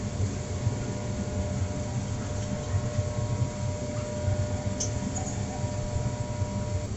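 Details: Trane XR80 gas furnace during troubleshooting: a steady electrical hum with no rush of air; the blower motor is energised but seized and not turning while the rest runs.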